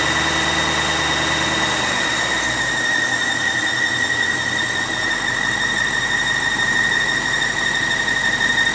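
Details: 2006 BMW 750i petrol engine at idle: steady high-pitched squeal from the engine bay; owner thought it was the belt but it wasn't, source not identified.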